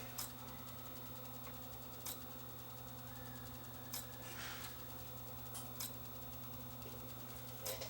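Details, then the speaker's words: Hotronic AP41 NTSC time base corrector, power supply partly recapped; relay clicks sharply about every two seconds over a quiet hum as the supply keeps pulsing and it won't start though power light is on; failed filter capacitors suspected. "it's still not starting you can hear it click click click click that's the relay over here clicking put in bypass it won't do that but the power light is on the front you see the light so we're still we still have a PSU problem on here"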